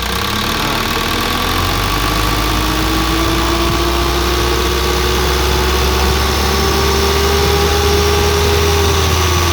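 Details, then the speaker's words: 2014 Isuzu Elf NKR71 long diesel truck: even diesel rumble with characteristic humming drone rising as revs climb, no knock or rattle, no smoke from oil filler; normal diesel idle and rev. "Sendiri ya, mesinnya masih enak, masih renyah, masih gurih, masih ada ciri khasnya apa, Isuzu elknya itu loh, suara khasnya mendengungnya."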